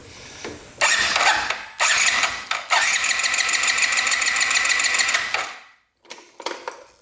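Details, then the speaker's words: 2022 Benelli 302S motorcycle; short bursts of fast starter whirring with no firing while the injector is off the fuel line and the fuel pump delivers nothing; owner suspects no 12 volts reaching the pump. "Nothing. Yeah, so we're not getting, I don't think, any power to this pump."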